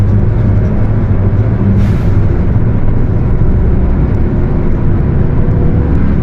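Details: Mercedes-Benz OF 1721 bus, Torino S body (Viação Estrela 100.141), while driving: loud heavy rumble with a low droning tone over the road noise; the differential is roaring.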